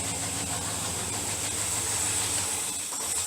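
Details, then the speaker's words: Aging carbureted wagon that floods badly on first crank: rough, hissy idle that keeps running on after the key is turned off. A worn-out carburetor is suspected, and a rebuild is planned. "when you first crank it up it floods out real bad so i don't know i bet if i go the turn to turn the car off it's going to want to stay running"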